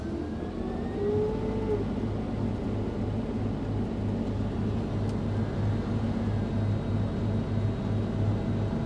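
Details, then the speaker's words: Case IH 9120 combine harvesting steep Palouse hills in July, engine revved down and separator switched on before engaging header: steady deep engine drone with even mechanical whir, no banging or clanking; separator running normally. "actually sounds fine for now and here goes the header"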